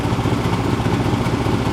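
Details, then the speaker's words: 99 GMC with 2013 Silverado 2500HD 6.0 V8 swap, after replacing injector number eight for fuel smell from passenger exhaust: low even idle with no pops or misses, earlier occasional exhaust popping gone. "used to pop every once in a while it sounds good"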